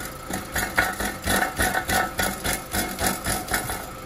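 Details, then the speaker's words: Volkswagen Beetle idling, exhaust moved by hand: rhythmic metallic rattle about four times a second from loose broken internals in the catalytic converter; converter needs replacing, possibly the oxygen sensor too. "Ese adentro que está sonando, entonces van a tener que cambiar el catalítico y probablemente el sensor de oxígeno si no sale."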